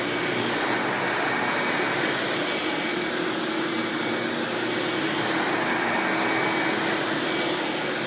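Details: 1997 Hoover Dirt Finder Power Drive U6331-930 self-propelled upright vacuum running in floor mode: steady, even whoosh with constant mid-pitched tone, no rattles or surges; runs exceptionally smooth and surprisingly quiet for an Elite-style machine, normal running.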